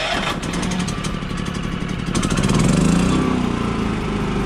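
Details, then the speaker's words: Repaired and detailed Champion 3400-watt inverter generator, final start: catches on the first pull and settles into a steady, even idle with no misses or knocks; normal start and idle. "so now let me show you one last time okay when I go ahead and start it you should start right up"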